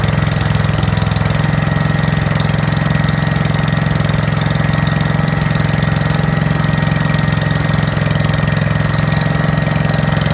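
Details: 5665 that was leaking gas out the carb, test run after carb work using starting fluid to start it; steady low note, lumpy pulse about three a second, running way too rich before the main jet was opened up.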